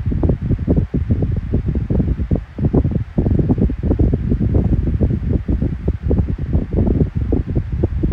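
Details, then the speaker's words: Kool-Flo SFC2-300B 12-inch three-blade high-velocity fan, running after oil worked into the bearings. Low, pulsing rush of air with no grinding or squeal; the bearing issue is gone, with a hum on low and medium but none on high. Normal running. "It no longer has that bearing issue now. Finally went away because the oil was kicked in. But it does have the hum on low and medium, but on high you don't have the hum."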